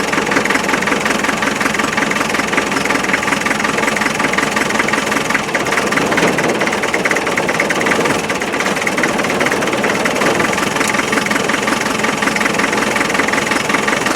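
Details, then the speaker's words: 1991 ex-MOD Land Rover 90, 2.5 naturally aspirated diesel that arrived not running, idling: uneven, lumpy clatter of about 2–3 pulses a second, one cylinder seemingly down. An injector drop test found one injector weak; number three cylinder is suspected, not confirmed. "like that injectors a bit weak I think I'll have to run it for a while"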